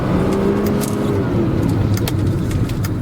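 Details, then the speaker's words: 1987 Mercedes-Benz W124 300D (built 12/1986), 6-cylinder turbodiesel with 4-speed automatic, low mileage, some belt squeak: accelerating, a steady low drone builds as the turbo kicks in. Smooth, even, no knocks; turbo spool sounds normal. "hear that turbo kick in, man. Cool car."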